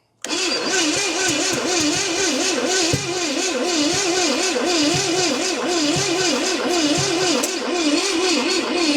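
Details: 1969 Pontiac GTO, Pontiac 350 apparently, barn-stored about 35 years, HEI hooked up, timing being dialed in: steady rhythmic cranking with a wavering starter whine and weak compression pulses, never catching; stuck valves were later found.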